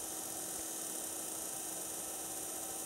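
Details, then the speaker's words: Aftermarket LED headlight from a Mitsubishi i-MiEV that stopped working, run on a 12 V bench supply whose own fan is also audible: a thin, gritty, high whirr from the light's cooling fan with a shot bearing. "you can hear some sounds like a bad bearing in the fan that cools this light"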